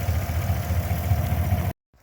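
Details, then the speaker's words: 2014 Silverado V8 just started after installing an AFE Silver Bullet throttle body spacer, with the intake clamps and PCV refitted. A steady, even low rumble with no hissing or miss, then it shuts off; it sounds normal and sealed. "okay it started up it seems normal all seems good here don't hear any hissing sounds or"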